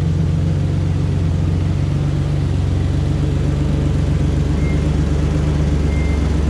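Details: 2004 Ford Ranger XLT FX4 Level 2 at idle: loud, deep rumble with a raspy drone, far louder than stock, like straight pipes; exhaust leak from a rusted-through muffler, before the muffler was replaced.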